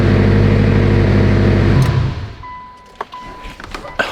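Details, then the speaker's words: Mitsubishi Evo 8 on first start after bleeding the lifters and fitting new gapped plugs and coils: the engine catches and runs smooth and even with no lifter tick or tapping, then is shut off; suspiciously quiet, but healthy. "i'm laughing because these freaking lifters are so damn quiet it's a little bit suspect"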